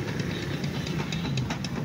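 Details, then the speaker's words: Engine at idle: steady rapid ticking knock, a tug-tug sound over the low engine thrum, from excess sideways end play in the crankshaft; the fix is an overhaul. "Kasi kapag yung iba tahimik, yung iba naman maingay. So, kung maingay sa'yo, baka ito na yung problema mo."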